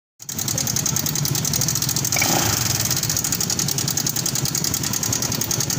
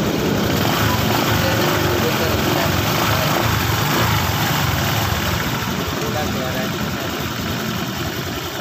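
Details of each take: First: Honda Vario 150 LED scooter at idle with a fast, light metallic ticking over the engine note from a noisy engine; cam chain tensioner tick, worn tensioner letting the chain slap. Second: Honda Vario 150 LED scooter after cam chain tensioner repair: even, steady idle with smooth low rumble, the earlier tek-tek ticking gone; normal idle, engine sounds healthy.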